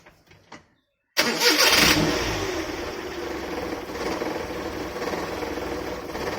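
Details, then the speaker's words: Maruti 800 (1997) carburettor petrol engine started before adjustment; catches after short crank, then uneven lumpy idle with wavering beat and heavy shaking vibration, before tuning the carburettor fuel adjustment screw. "Engine வைப்ரேஷனை பார்த்தீங்கன்னா உங்களுக்கே தெரியும் எவ்வளோ ஷேக் ஆகுது. பயங்கரமான engine vibration இருக்குது. இந்த vibration அதிகமாக இருக்குது."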